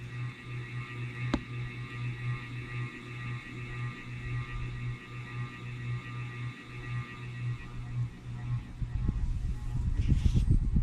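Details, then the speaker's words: 52" King of Fans spinner ceiling fan on medium: steady low motor hum under the airflow, a buzz that builds as the motor heats, about half its eventual loudness; runs smoothly without wobble but hot, cause unknown (owner wonders about re-varnishing). "I don't know if that noise is picking up on a video. That's about half as loud as it gets. It gets even louder than that. And I just find it to be a highly annoying sound."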